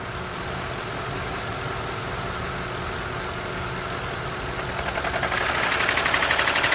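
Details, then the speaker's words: Lincoln Town Car idling: a fast, even whirring tick, about four per second, that swells as the electric cooling fan kicks on. The fan stops and starts roughly every 30 seconds and is failing; the owner first suspected the water pump. "the fan it's the fan I just saw it I could see it stopping and starting the fans going bad the cooling fan"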